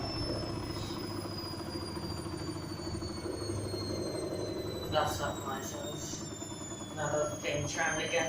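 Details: Washing machine on the Daily Quick 90 cycle with extra rinse, very unbalanced final spin, shaking badly. As the drum coasts down, a thin motor whine falls in pitch with rattles near the end; cause unknown.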